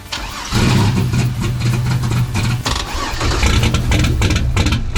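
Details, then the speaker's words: Turbo 3800 Camaro, first startup after sitting 2 years: catches and runs ragged and uneven with a loping, stumbling beat and lots of black smoke; it is running rich and probably won't idle properly. "there's a lot of black smoke coming out that's the feel for sure I did not even I did not even shut it off yeah it probably is just not gonna run you know but that's a success that's all I wanted to do today"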